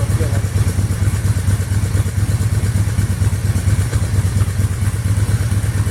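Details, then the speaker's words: 1997 Harley-Davidson FLHTC Electric Glide Classic, first start after rebuild with used parts: loping uneven V-twin idle with steady thump and slight stumbles; running rough due to Mikuni HSR42 carburetor issues, carb rebuild pending. "well as you can see it's alive um got some issues with the carburetor"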